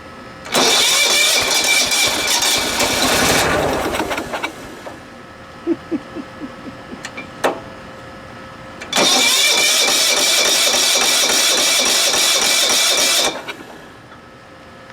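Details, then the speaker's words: 1980s John Deere RX95 mower, Kawasaki FV460V engine with rebuilt carburetor and starter, cranked on contact cleaner: brisk even cranking with good compression but no start; likely a fuel system problem, and the starter only catches the flywheel teeth occasionally. "oh man the compression sounds good uh I think if we get the fuel system sorted"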